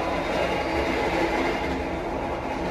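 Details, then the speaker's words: Jaka Tingkir new-generation economy train coach, rearmost seat above the wheels: loud steady rumble and hiss of wheels on rail filling the cabin; noise seems to leak in, possibly via non-automatic doors not closing tightly, cause unconfirmed. "kayak ada bocor suara dari sini nih enggak tahu dari mana ya kayak berisik banget gitu Pokoknya karena di atas roda ya"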